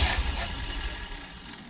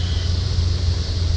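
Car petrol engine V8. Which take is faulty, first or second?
first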